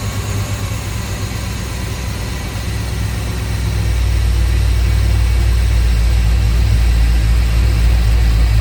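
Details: LS V8 truck with big cam after drilling the throttle body blade for more idle air to cure cam surging and bucking: deep, steady idle with even lope, no hunting or surging; healthier idle note (no rpm gauge, judged by ear).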